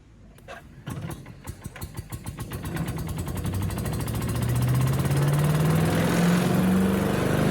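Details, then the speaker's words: Salvaged Yard Machines chipper, Tecumseh engine, some water still in the oil, chipping brush: picks up from a cough into a strong, even drone as leaves and small branches feed through; normal running under load. "so you can see it does a good job chipping up at least the small stuff it's really good at leaves and small small branches"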